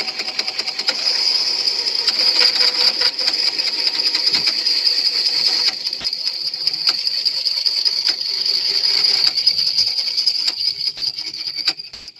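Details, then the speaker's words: Teac floppy drive reading an old, damaged disk: harsh, scratchy grinding mixed with squeaks over a high hiss throughout the read; the drive itself is well maintained, so the noise comes from the disk surface. Damaged floppy disk surface grinding. "I'm not sure if you could hear the sort of grinding noise mixed in with some squeaking noises or not but that is um that is not a good sound"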